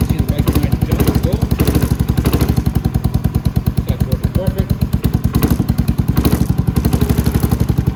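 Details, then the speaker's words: Venom X22GT 250cc automatic motorcycle with Nibbi carburettor, just after throttle cable replacement and adjustment, choke pulled: steady quick single-cylinder thump pulling strongly under throttle, no misses or rattles. Normal running. "There we go. It's running perfect."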